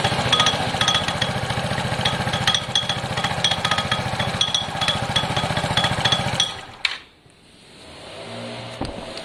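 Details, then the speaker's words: Piaggio Fly moped on its centre stand, started briefly with the clutch cover off: brisk idle with a loose, fast metallic rattle riding on top until shutdown, seeming to come from the clutch side. CVT clutches suspected, unconfirmed. "your rattle is most likely in here now i don't take the clutches apart"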